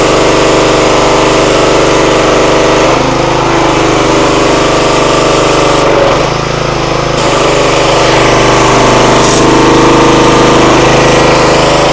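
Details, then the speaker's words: Free pressure washer, full throttle with choke: steady, even drone with pump under load, no surging or stumbling; motor and pump run properly. "foreign foreign pressure washer Works motor seems fine pump seems fine"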